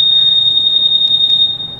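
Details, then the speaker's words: 2021 Honda Scoopy anti-theft alarm, set active and triggered by rocking the scooter: a loud, steady, high-pitched electronic tone sounds without a break; the alarm reacts to vibration as designed, and its sensitivity has three levels. "Hai nah ini ada sensitivitasnya ada penemuanya disenggol gitu disenggol seberapa besar getarannya dia bunyi hidup Guys"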